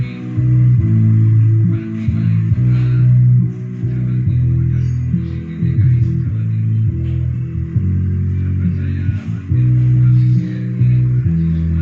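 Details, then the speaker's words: Polytron PMA 9502 active speaker after repair of dead subwoofer, fed from an MP3 module, volume being raised: deep, full bass notes come through cleanly and steadily with no buzz or dropout; subwoofer channel working normally. "Nah teman-teman bisa dengar di situ sudah keluar suara jeduk. Dan teman-teman bisa dengar untuk nada bassnya sudah keluar."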